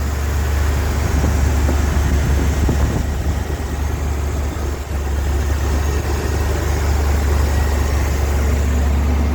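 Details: 1988 Ford F150 with the 5.0 V8 and manual transmission: steady, even low drone that never settles, holding a fast idle; runs smooth but idles high and fluctuates, and rpm drops when the idle control valve is unplugged. Cause unknown.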